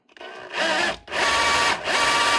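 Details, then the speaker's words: DeWalt DCH273 SDS drill, customer reports no speed/mode changes and not drilling: motor whirs in short smooth bursts with no hammering thud; motor and switch fine, fault in gearbox, likely the crank, not the ball pin; dry, needs cleaning and fresh grease. "It's just something wrong inside the gearbox. As you can hear that trying to hammer. So that, in other words, means it's not the ball pin."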